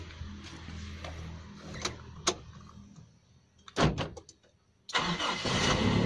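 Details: Toyota Kijang Kapsul checked during a used-car inspection: short crank, catches at once and settles into an even, steady idle; a slight noise is attributed to valve clearance adjustment.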